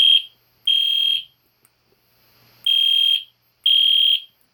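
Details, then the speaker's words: EST Genesis horn strobe fire alarm on test, indoors at night: loud, high-pitched half-second horn blasts repeating, meant to resemble a classic Spectre alert but higher pitched; normal alarm horn sounding. "That is loud, a little bit, but... Well, I forgot to tell you guys, it's supposed to sound like a classic Spectre alert, but higher pitch."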